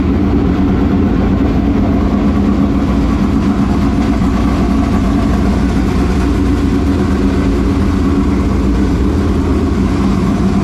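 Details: Newly installed V8 in a dirt late model race car after an adjustment down: deep, steady burble at even pace, no misses, knocks or ticks; healthy fresh race engine.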